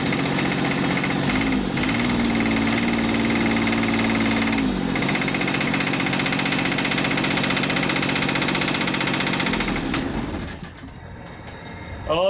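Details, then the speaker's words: Scrapyard Kubota 3-cylinder diesel from a Carrier AC unit, first run after sitting; rapid regular knock about four per second over diesel clatter until shutdown; cause unknown, has oil pressure. "doesn't sound so good it sounds like a little knocky knocky"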